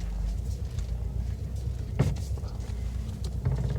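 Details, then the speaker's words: 2018 Subaru WRX STI Spec R idling with loose knocking clunks as the steering wheel is turned: steering rack rattle. "you go that's the rack rattle that's the sound you're gonna get with the rack rattle"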